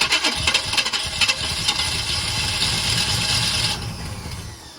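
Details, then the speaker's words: 1980 Chevy K30 small-block 350 with a rebuilt carb, cold, on choke after a new solenoid install: catches and runs roughly, then sags and dies when throttle is applied; vacuum leak or carb fault suspected, not confirmed. "It doesn't like having any throttle. Huh. Go ahead. Vacuum leak. Maybe. Potentially. Or something's not right in the carb."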